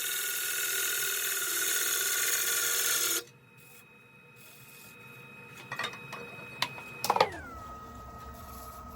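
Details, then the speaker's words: Woodturning a black acacia bowl on the lathe, after adjustments to stop chatter: steady even gouge hiss with no chatter, then the tool lifts off. "That feels and sounds perfect."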